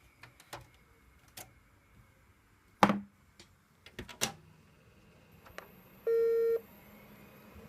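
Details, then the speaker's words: Power Macintosh G3 Blue and White powered on with RAM stick removed; clicks and handling knocks, then one clear steady half-second beep, meaning no RAM installed. "You could just hear that one beep, meaning there's no RAM installed."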